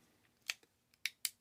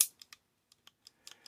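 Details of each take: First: Shimano index shifter clicking crisply and freely again after T-9 Boeshield lube poured down the shift cable hole softened old waxy grease that had kept the springs and pawls from moving. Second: Shimano 3-speed index shifter after T-9 Boeshield lube poured down the cable hole: sharp, crisp clicks through 1, 2, 3 with gaps between; sticky shifter now partly freed.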